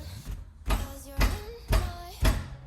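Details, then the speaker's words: Mazda NB2 Miata with both rear wheels off, during parking brake adjustment: heavy clunk about twice a second, each with a brief squeak, repeating as the rear turns; a knock near the rear brake, exact source not found. "I don't know where exactly it's coming from but I'm not going to lie it kind of sounds like it's up here somewhere"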